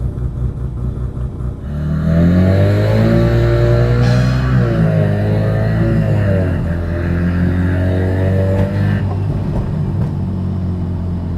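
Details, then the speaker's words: Mazda FD RX7 rotary with ZF 8HP transmission on Turbo Lamik TCU, torque calculation adjusted at 3-4,000 rpm, about 20% pedal: revs climb then drop cleanly at upshifts, no flare or slip; shifts feel good. "that felt pretty good down to First so you can see we're around 20% pedal it's we're just accelerating basically that feels nice"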